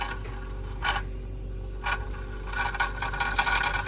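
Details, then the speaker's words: Induced-draft inducer fan motor on a Lochinvar boiler running; steady hum under an uneven scraping rattle from worn bearings, replacement motor ordered. "I have the induction fan going, the motor. You can hear the bearings are going."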